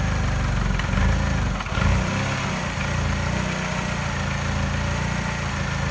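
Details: Mini at idle after timing chain, tensioner and piston ring replacement: a lumpy, rough idle with a slight miss the scanner does not pick up, a faint light tap that disappears above 1200 rpm, and slight vibration; cause unknown.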